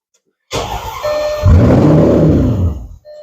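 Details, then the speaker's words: 2007 Audi S8 with replacement throttle body, throttle valves failing to initialize/adapt: engine cranks and catches, runs rough about two seconds, then dies abruptly in a start-run-stall, attributed to immobilizer cutting the engine. "I'm going to go ahead and try and fire it up one more time and you'll see that it will now become a start run stall"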